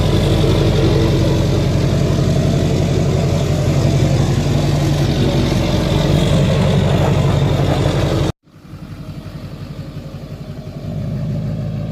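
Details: 2007 Duramax LBZ diesel, tuned, SDP deleted, MBRP 4" exhaust, after new up-pipe gaskets fitted and bolts tightened at the turbo: deep, even diesel clatter at idle, no hiss or whoosh; leak appears fixed, idles normally.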